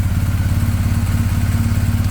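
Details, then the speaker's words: BMW R1250GS boxer after fitting upgraded timing chain cam tensioner (part 11317108586) to cure engine tick when warm: steady, even low thumping idle with no ticking on top; normal idle. "sounds good all right guys that's it uh hope you enjoyed i hope it's helpful"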